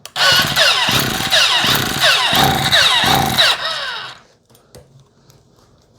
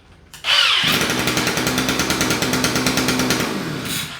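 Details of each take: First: Non-starting 2-stroke string trimmer, air filter cover off, given starter fluid: bumps and buzzes briefly then coasts down slowly; it has spark and compression, so a fuel delivery fault. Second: 2-stroke string trimmer with battery-only electric start, after fuel system fix, run without cutter head: fires first try, steady buzzy high-revving note, clean shutoff; normal running, though it tended to bog at higher RPM.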